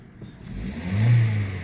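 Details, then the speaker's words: Vauxhall/Opel Astra 1.4 16v X14XE with LPG conversion, running on petrol: quick clean rev from idle, no hesitation or lag, confirming the misfire/lag comes from the LPG conversion, not the coil pack. "no hesitation and it's not even lagging start straight away"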